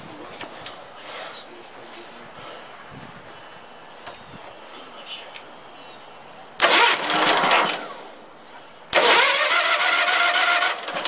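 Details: Case lawn tractor with 20 hp Onan engine, gas line newly attached and fuel poured in, warm day: two short cranking bursts of a second or two each with no pickup; cranks but won't start, carburetor may need rebuilding.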